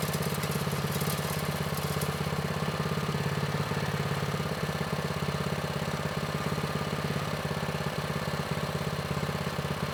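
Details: Vintage Manco Streaker mini bike, repowered with a Predator 212 6.5 hp engine, unrun for years; drive disconnected, idle raised from too low. Single runs smooth and even at a steady fast idle, no misses or knocks, clean exhaust beat; healthy.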